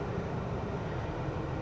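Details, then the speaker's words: 2000 Toyota Camry V6 while driving: uneven low rattle and clatter from the rear over road rumble, like loose rocks knocking in the rear suspension. "in the rear end. I'm so serious. It sounds like there are literally rocks in the rear suspension of this thing."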